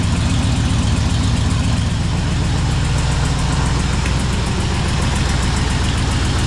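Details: 1978 Chevy Camaro drag car V8 after rewiring, battery relocation and new starter, just started: loud lumpy idle with uneven choppy pulses and occasional pops; ignition timing off, needs setting.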